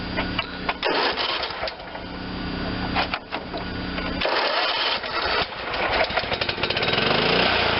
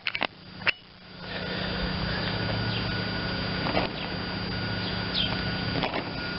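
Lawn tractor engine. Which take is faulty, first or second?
second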